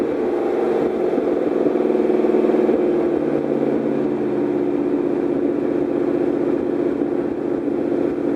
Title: DIGIROLAMO MISFIRE 2